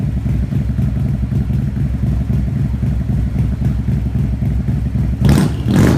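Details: Harley-Davidson V-twin with lumpy idle, two quick revs bring a sharp hissy chirp/squeak from the mufflers; same noise occurred with the old exhaust, cause not found.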